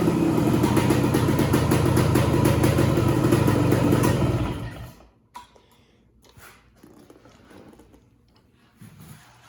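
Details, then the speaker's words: 1969 Yamaha AT1 Enduro two-stroke (500 original miles stated, 3500 in listing), carb cleaned and Autolube pump bled: crisp, even popping at a steady beat near 1500 rpm idle, barely any smoke, then shut off; runs clean and healthy. "it usually settles into about a 1500 rpm idle which is about what yamaha specifies it should be at barely any spoon coming out of that"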